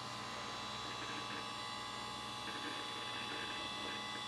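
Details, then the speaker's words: Hard drive in an old Windows XP streaming server, partition just resized and undergoing a disk check: rapid uneven crunching and ticking of head seeks over a steady spin whine; normal hard drive seek noise. "drive has been resized and sounds like it's crunching away I like that kind"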